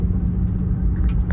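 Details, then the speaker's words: Nissan 350Z with random misfire issues, engine hard to notice at idle, heard on the street under throttle: deep rumble with uneven pulses, spitting, sputtering and brief drop-outs; misfire, cause unknown, owner considering replacing injectors and injector harness. "all right it's third year LLC here it's just like not burning even it's like all spitting in sputtered and it sounds like it's like flutter"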